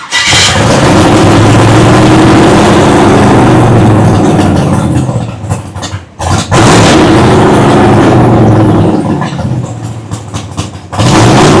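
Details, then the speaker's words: Big block V8 first fired in nearly a year, carbureted, possibly burning some oil, idle not yet sorted: roars on held throttle, dipping as throttle is backed off then picking up cleanly; normal running under throttle. "woo buddy we are cooking with fire we are cooking with fire now damn that thing sounds good"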